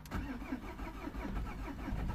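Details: 2003 Peugeot 307 2.0 HDi diesel, lost transponder, being started after programming a new transponder: repeated slow cranking pulses about twice a second before it finally catches; long crank before start.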